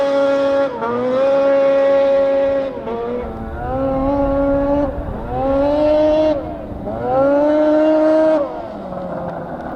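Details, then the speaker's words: 13-year-old race snowmobile, two-stroke, warm engine: buzzy revs sag and stumble as throttle opens, bogging down low; owner suspects sticking power valve, since it runs well cold; not confirmed. "she sounds gnarly sounds like a Nitro RC car it's not a happy camper yeah I hear it down low it's not happy"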